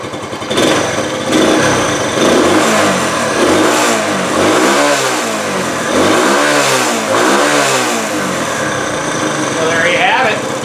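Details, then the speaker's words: 1968 Honda Trail 90 that sputtered on the road, after freeing a sticking carburetor slide: repeated quick blips rise and fall cleanly back to steady idle, throttle returning properly; normal revving. "minor setback but uh yeah that slide was just sticking a little bit no throttle seems fine"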